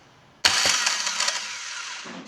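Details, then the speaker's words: 2009 Chevrolet Agile 1.4 starter motor run on the bench, owner heard metallic noise at cranking: harsh high-pitched whirring rasp; no defective part, starter was very dry and needed lubrication. "se que ana não é peça com defeito nada sei que é só lubrificar na verdade que o arranque estava muito ressecado"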